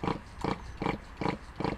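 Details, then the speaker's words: RC nitro engine unused for about a month and hard to start: rhythmic chuffing about every 0.4 s as it spins over but never catches; owner suspects it is flooded with excess fuel. "sounds like it's trying to start but I think it's I think it's a bit flooded"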